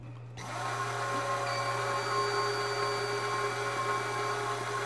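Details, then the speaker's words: 4WD front wheel hub spun by an RC gas-engine starter motor with the axle removed: steady whine from the worn hub bearing, the same sound heard driving at 40 mph; a new tight bearing is compared after. "Listen to that. That's exactly the sound that I'm hearing at 40 m an hour. And you could hear that whine."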